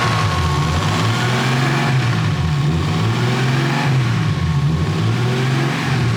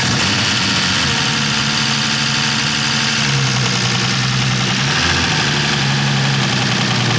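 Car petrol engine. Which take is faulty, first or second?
second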